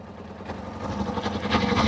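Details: Kawasaki ZZR600 four-cylinder idling on choke after no-start: uneven lumpy stumbling idle, rev dial erratic; owner suspects misfire, possibly running on three cylinders, and plans new ignition coils.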